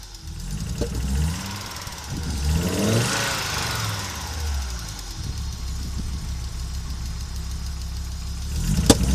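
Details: Audi Coupe after an NG-to-AAR engine swap: hard starting, many misfires, and it stalls while driving. Uneven, stumbling low rumble with irregular drops and surges as it revs. Misfiring and running rough; cause unknown.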